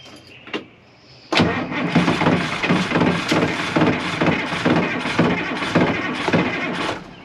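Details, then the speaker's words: 1981 International Harvester diesel snow plow truck that sat for years, after pushing back the broken plug's terminals; strong, even cranking about two turns a second for six seconds, smoke from underneath, never catches: cranking, no start. "okay well it's it's definitely turning over smoke coming out from the bottom I'm sure"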